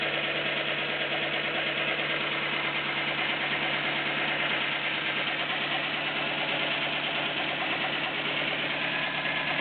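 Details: Nissan Micra 1.0 16V at idle, after the belts were tightened: light rapid ticking at roughly three a second keeps pace with the engine; owner says only valve tapping remains.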